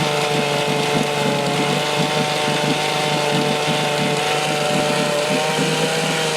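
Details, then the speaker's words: 1972 Johnson Seahorse 6HP outboard (6R-72D), first start in 20 years after fresh plugs and fresh fuel: steady high buzzing two-stroke note at constant speed, no stumbles or dropouts; running evenly. "[Music] [Music] well there you go fresh plugs that fresh gas and she'll fire off every time"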